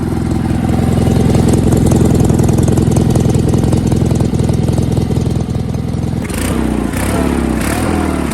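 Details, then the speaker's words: Sears GT 19.9 garden tractor running after sitting 2 years, fitted with mufflers larger than the GT 18's: strong, even low thump that picks up cleanly with throttle, sounding more torquey; normal running. "It sounds good. It just sounds way more torquey."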